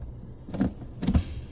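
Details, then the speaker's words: Sixth gear popping out: three sharp dull clicks about half a second apart as the non-adjustable gear-selection cable is pushed and has to be forced into sixth; the fault is suspected inside the transmission detent. "Right there. I actually have to force it. There. So what is that? I think because when you're shifting it, you manage to put it there, and then I can understand it popping out."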